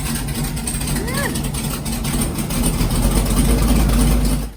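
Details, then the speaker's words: LS3 V8 airboat engine, backfire and pop heard from passenger side: lumpy, uneven idle stumbling about three times a second, a dead cylinder misfire, before unplugging coils to find it. "So I fired her up, and she ain't wanting to run worth a crap. It wasn't running near this bad, but we completely got a dead cylinder here."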